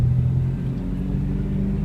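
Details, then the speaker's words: 2002 Honda CR-V at road speed: deep steady growl from a badly worn rear wheel bearing, louder when steering right loads it, quieter when steering left unloads it. "you see how when I turn right it goes away I mean it loads it up and puts weight on it so it makes it louder and I turn left and it goes away this one's really bad"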